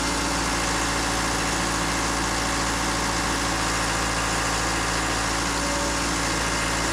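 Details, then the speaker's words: Takeuchi TL26 tracked skid steer after drive motor repair, raised off the ground, tracks off, only the left track pump connected: steady diesel idle with a smooth hum from the spinning track drive, no knocks or grinding; sounds healthy. "all right awesome so very promising"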